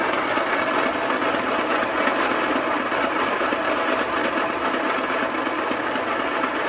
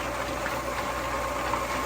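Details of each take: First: Homemade rock tumbler after months of non-stop running: loud, steady gritty rumble with a loose churning pulse about twice a second; owner thinks worn bearings cause most noise, belt also breaking; rebuilt. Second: Rebuilt homemade rock tumbler with new bearings: steady even motor hum with soft rolling rustle of rocks, about 75–76 dB versus near 90 before; bearings were the noisy part; now much quieter.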